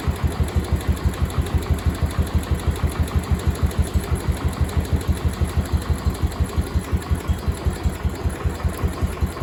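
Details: Cub Cadet 1250 hydrostatic single-cylinder engine, first start after sitting about 20 years under a barn shelter, after more fuel was added and debris blew out of the exhaust: even, steady low thumps about three a second, quiet, no smoke, no knocking; normal idle.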